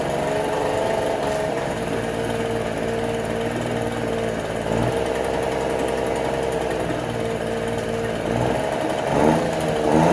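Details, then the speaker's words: 1968 Electrolux Penta E-50 43hp three-cylinder outboard, first run in over 20 years, in a test barrel with the water pump not drawing water: an uneven, lumpy beat with missed firings. The two lower cylinders and plugs stay cold and only the top one is hot. "And on top of that, the engine also sounded and ran a bit strange. The two lower cylinders seemed to stay cold and only the top one was hot."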